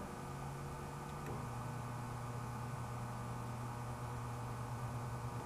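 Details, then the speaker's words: 1920s Century repulsion-start induction electric motor with two windings deliberately connected in reverse so they work against each other; steady low hum shifting slightly lower with no run-up; won't start, runs once rewired as original. "It just hums. Now if I take these two and take them back off, hook it up the way it was originally, motor works."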